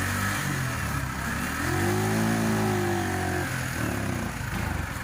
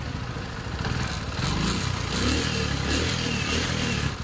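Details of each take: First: TVS XL100 BS6 moped before repair: starts but at full throttle the note barely rises, then falters and shuts off; OBD showed no fault, swapping the throttle body and fuel pump didn't help; faulty engine control unit. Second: TVS XL100 BS6 after replacing the head, camshaft and ECM, with the fault cleared. The small single revs up cleanly and pulls without stumble or misfire over some clatter. Pickup is stronger than before; the engine runs healthy.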